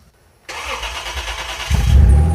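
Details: Junkyard twin-engine four-wheel-drive vehicle, after a fuel line that was leaking and siphoning from the tank was fixed and the fuel pump was hardwired to the battery: a quick starter spin, then an instant fire into a strong, even idle; a normal start.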